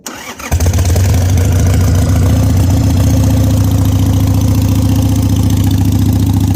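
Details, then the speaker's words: 2001 Harley Sportster 883, cold start at about 30°F on choke: catches quickly, then loud, deep, lumpy V-twin idle about 3.5 beats per second. Owner finds exhaust too loud and suspects a vacuum leak. "so that's too loud for me I think it doesn't sound bad a lot of people probably listen to and be like hell yeah brother sounds great but a little too too loud for me"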